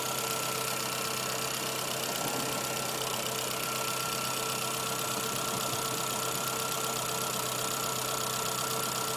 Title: Swift 1997 1.3L ticking noise